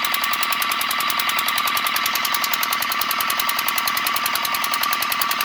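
Fast, even metallic tapping, roughly nine per second, over a steady engine speed; a clear knock whose cause isn't identified.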